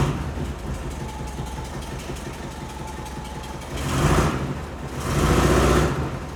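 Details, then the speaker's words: 1974 VW Bus air-cooled engine awaiting tune-up: steady low even-beat chugging idle with a couple of louder swells; idles great but won't rev out past quarter throttle, owner suspects the distributor. "Um, it idles great. It It'll do slight revs, but it just falls on its face."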